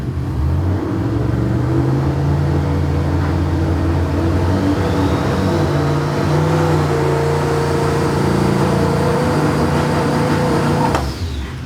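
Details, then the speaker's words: Big V8 on the dyno revs through a rough, lumpy drone with sharp pops under load, not cleaning up. Float level looks high; suspect two cylinders' plug wires swapped, cause unconfirmed. "that sounds like two cyers are backward yeah yeah"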